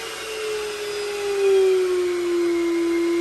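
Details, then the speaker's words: Shop vacuum for DIY soda blaster cabinet, powered through VEVOR 2000VA variable transformer at full output: loud steady high-pitched motor whine with rushing air roar; running flat out, healthy. "Let's watch what we can do, and you can just listen to the output of the vacuum. So right now we should be on full blast."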